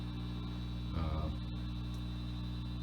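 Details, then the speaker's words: 1968-69 Farfisa Combo Compact Deluxe organ played through an amplifier: steady low mains hum with all tabs off, from a noisy power supply needing its electrolytic filter capacitors replaced. "you can already hear that humming noise when they're all of our tabs are turned off so we're gonna have to recap the power supply should clean up a lot of things"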